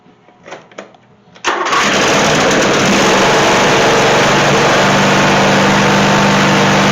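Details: Dixon zero-turn friction-drive mower after new transaxle cones, deck spindle bearings and belts, parking brake on: a few quiet clicks, then the engine catches and settles into a steady, even drone, starting readily and running clean. Normal start and idle.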